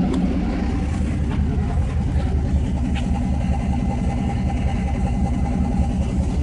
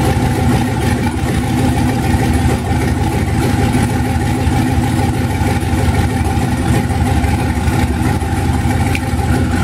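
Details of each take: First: 1991 Mazda B2200, 6.0 LQ4 twin-turbo V8 swap, stock 2002 GM computer now running a proper fuel file instead of a high base fuel number: deep, steady, even idle, no stumble, still warming up, some steam; normal idle. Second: 1991 Mazda B2200 with rebuilt 6.0 LQ4 V8 swap, twin turbos, 80lb injectors, stock 2002 GM computer on 2-bar SD base map, first startup with good oil pressure: deep, slightly uneven lumpy idle and steady exhaust roar; rough running on untuned base fuel map.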